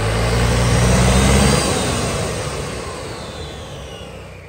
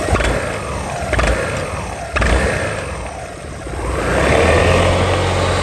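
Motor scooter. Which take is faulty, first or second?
second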